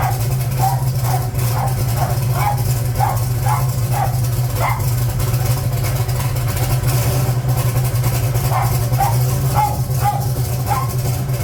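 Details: Gen 1 small-block Chevy V8, blow-through carburetor turbo, 1980 Trans Am, first start after valve seal replacement with engine in car for exhaust smoke: deep steady idle, even rumble, no misses or knocks, dog barking nearby; running normally.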